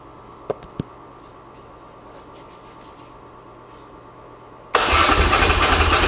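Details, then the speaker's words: 1981 Laverda 1200 TS Mirage first start since 2003, after new cam chain, valve clearances, base ignition timing, rebuilt carbs, new airbox and exhaust; clicks, then catches and settles into an even, quick idle with no misses; starts and idles normally, slight carb fuel leak. "but anyway I'm thrilled started right up looks like I'm in the ballpark with my base timing settings and my base carburetor settings"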